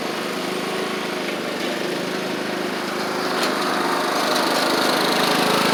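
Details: Troy-Bilt Horse XP on a replacement engine, making cutting passes; it didn't want to start that morning. Steady, even engine drone with blade and grass rustle, no misses or knocks. Healthy normal running under load.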